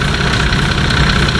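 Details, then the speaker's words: Nissan Patrol TD42 diesel at steady idle after fitting a new UFI fan with clutch, replacing an old fan whose broken tab had rubbed; even fan hum and strong airflow, no rubbing or rattling. Engine previously reached about 115° towing. "can hear the fan hum sounds a lot better than the old one it sounds like it's actually moving a lot more air"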